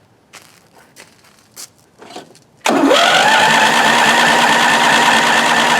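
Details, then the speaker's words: 1993 Craftsman LT4000 riding mower, first start after sitting 4 years: a few clicks, then steady fast cranking that never fires. The engine is completely flooded and may have washed the cylinder. "I knew that would have been too easy. Thing is completely flooding. And I probably washed the cylinder."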